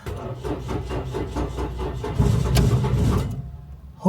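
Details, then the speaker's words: 2007 Toyota Yaris ex-police car not run in over 4 years, after fuel system work: cranks with an even chug about four beats a second, nearly catches, stumbles rough and dies; no fuel leaks, old gas likely still in the lines. "good part is no fuel leaks so we know the fuel can all be buttoned up pretty much but it's still running rough"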